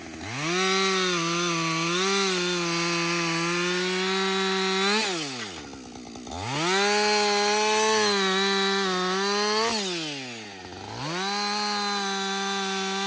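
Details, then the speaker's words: Husqvarna 562XP chainsaw after a software reflash for a hot-dying, stumbling no-start fault. Hot after its most continuous run time, which the owner calls its best running ever: clean high two-stroke scream holds steady through each cut, dropping and picking up crisply between cuts. Normal running under load. "alrighty everybody this saw that's the best it's ever ran it's the first time I put that much run time on it straight"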